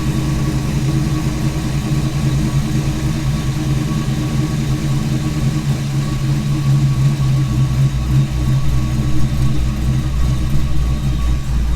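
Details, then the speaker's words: Ford Foxbody Mustang after a new 255lph fuel pump and -6AN line install: even, low, steady idle with no misses or surging; good oil pressure, battery charging, check engine light on, cause unknown. "Check engine light on, not sure why, but looks like we got plenty of oil pressure, battery's charging, so we're gonna let her idle. It's been a while. Sounds good."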